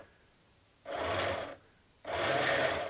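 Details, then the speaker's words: Iron Man exosuit 3D-printed gearbox after installing a reprinted full-size gear that spins on centre, two gears removed: short whirring motor bursts with a gritty gear rasp; some noise remains but no more shattering sound. "There's still a bit of noise. It may just be unavoidable, I'm not sure really. But at least it sounds like a motor and it doesn't sound like a shattering sound anymore."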